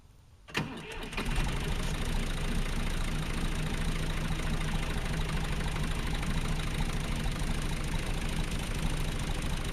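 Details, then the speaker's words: John Deere 2150 diesel tractor, cold start after sitting almost two weeks with a low battery: brief crank, fires at once, settles into a steady even idle with no knocks or misses; normal diesel cold start. "fire right up this tractor always runs no problem so I knew it start right up"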